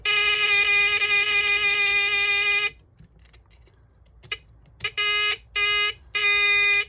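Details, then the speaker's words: Lionel O-27 Alco PA locomotive horn on battery: buzzy raspy tone near 400 Hz cutting out and stuttering in short bursts; connections work but dirty horn relay points give a weak, harsh sound. "Yep, the connections are working, the points are just dirty. That is a horrible sound. God."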